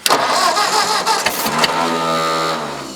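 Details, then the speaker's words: Old Ford tractor, thought to be an 8N, after ether: starter whirs and engages in uneven bursts, then drops out and spins down without the engine catching; starter disengaging mid-crank. "Yeah, you're right about that starter. When it cranks, it kicks out."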